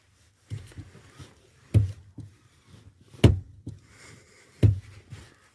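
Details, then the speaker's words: 1992 Volkswagen Passat B3, clutch pedal after servicing the pedal area to cure crunching: a few soft thumps as pedal is pressed and released, no crunch or creak; quiet clutch pedal. "роста нет случае же повторного появления хруста буду полностью снимать педальный узел"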